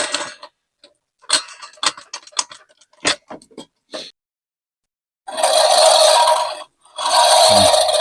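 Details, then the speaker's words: Ford Fiesta, passenger-side front wheel: light ticks, then harsh metallic scraping rushes that change tone when braking. The brake pad is suspected, a simple fix. "I think it's the brakes cuz it changes tone"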